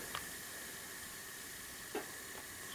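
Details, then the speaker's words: 5hp Tecumseh engine on Mastercraft (MTD) snow blower with no power under load, leak-down test showing about 94–95% leakage: faint steady hiss of escaping air, not heard at carburetor — heavy cylinder compression leak, later valve job. "the other thing this is older leakage test does is if it is leaking you can hear it so you're either gonna hear it coming out of the carburetor which I don't the noise is not changing"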